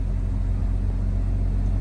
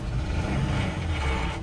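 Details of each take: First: Idle of a 2017 vehicle at auction, engine running: a low, steady rumble with no misses, knocks or ticks, extremely smooth; normal idle. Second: Ford F-250 diesel work truck, about 200,000 miles, possibly sat unused so engine may have been dry: steady low run with a dense rattling clatter that returns when revved after a restart; lower-end rattle, cause unconfirmed.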